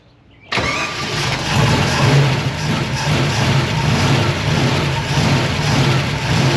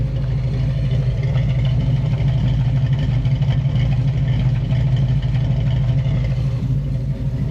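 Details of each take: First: Abandoned small-block Chevy V8 intended for a Nova, first fire-up. Uneven, lumpy rumble that rises and sags, struggling to idle, with a tick suspected as valvetrain or alternator. Rough idle. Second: Small block Chevy V8 in a Nova, previously abandoned, idling after revival at about 160° with 30 lb oil pressure; steady deep rumble, no knocks or ticks. Earlier a chirp, suspected water pump or alternator. Clutch and reverse now work.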